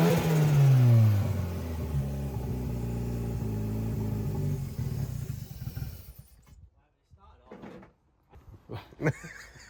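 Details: CA18DET-swapped JDM Mazda Miata, first start-up, filmed near the turbo: revs sag from high idle and stumble until it dies without throttle; poor idle.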